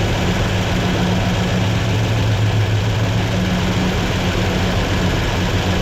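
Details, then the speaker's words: Rebuilt 283 V8 in a 1967 Chevelle on first start, cam break-in with idle raised, fuel only on primaries and idle air bleeds not set; steady even fast-idle burble, oil pressure good, though noticeable valve train clatter; normal idle. "well doesn't sound half bad there's a lot of valve train clatter though"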